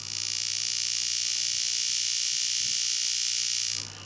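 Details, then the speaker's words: Normal steady high-pitched sustain board drive buzz near the Y main, pulsing evenly about four times a second then dropping away; board now sustaining noticeably more. "so let's go near the Y main again you can hear it's actually sustaining quite a bit more"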